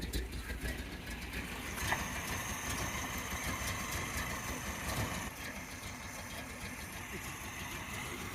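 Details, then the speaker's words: 1985 Volvo 740, Weber 32/34 DMTL carburettor jetted for E85, sat over a year: uneven lumpy idle with an irregular beat about two a second, smoky; running rich, getting way too much fuel, carburettor jets need replacing. "so yeah this is why we need the carburetor sorting out we need those Jets replacing because she's getting way too much fuel"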